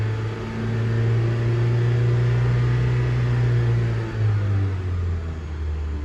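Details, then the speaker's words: FRS, which has a suspected bad starter, finally starts with a hit, then a steady low idle with a brief dip. This is during the scanner alternator test with lights on and park brake set; no whine or chatter from the charging side. "Oh, it's starting. Oh. Okay, it started. A little bit of a fucking hit, but okay, it started."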